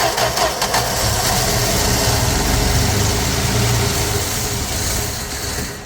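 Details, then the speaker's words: 1965 Plymouth Valiant 100, slant six, 3-speed, first start in years: catches and runs a few seconds with an uneven, lumpy beat, then dies; owner suspects fuel not coming through the pump or choke flooding it, unconfirmed. "Whoop, that didn't do it. It did run for a minute. Well, a few seconds."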